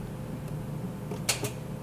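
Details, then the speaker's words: Cadillac SRX that would not start: single sharp click when key is turned, engine does not crank, even with jump box and charger connected; mechanic unsure whether starter or something else is bad. "we tried starting with the jump box didn't start just clicked so we got the charger on it make sure everything is okay with the jump box still clicks"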